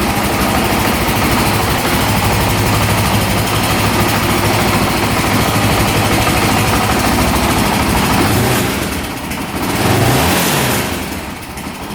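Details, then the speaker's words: 2008 Honda TRX700XX 700cc quad with independent rear suspension starts right up, settles into an even idle and revs out cleanly with a steady rhythm; running perfect, no issues. "it sounds like it's running perfect. No issues there. Starts right up, revs out."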